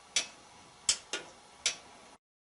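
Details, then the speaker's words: GE washing machine after bending the door switch lever: four sharp, clean clicks as the lid is worked, the switch snapping over each time; lid switch working properly. "go ahead and install the switch and try it out to see how it works now that is the way that the 3 is supposed to work"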